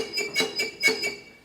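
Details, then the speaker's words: Small tractor jacked up, rear wheel turned slowly by hand with handbrake on: high glassy squeak pulsing about every quarter second, resistance felt; owner suspects brake shoes already rubbing, brakes very hard with no travel; suspected brake drag. "so you can hear the squeak, but that's because the handbrake's on. This should free spin now, but I can feel resistance, so that would indicate that the shoes are already rubbing."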